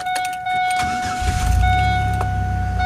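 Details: Chevy Venture wheelchair-accessible van, 3.4 V6, 85,029 miles, rebuilt title: warning chimes, then it cranks briefly, catches at once and settles into a smooth, even idle. Healthy start.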